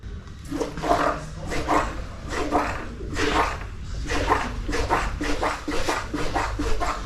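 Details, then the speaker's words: Fox Float X2 mountain bike rear shock, unserviced for 1.5 years, gives a wet gurgling squelch on every stroke: severe cavitation, air churned into the damper oil; described as oil in the air; rebuild follows. "Aujourd'hui, on part sur un entretien FotFloat X2 qui a un énorme problème de cavitation."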